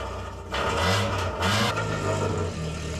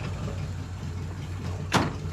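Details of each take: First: Mk2 Ford Escort four-door running again after time off the road: loud, raspy, crackling exhaust note swelling with revs and falling back, from a very cheap, very worn-out, blowing exhaust system. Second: Mk2 Escort back running after two cylinders stopped firing from an ECU fault, with a worn-out cheap exhaust: even, steady low idle with no misfire stumble and one short thump; normal idle on all cylinders.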